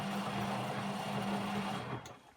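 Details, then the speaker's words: Beko WM5100W washing machine on a test rinse with no heating, loaded with rags: loud steady motor drone with low buzzing that dies away as it stops; bearings checked and not bad, cause of noise unknown. "so i have no real idea why this was left out other than i can hear the motor i've checked the bearings but they're not atrocious"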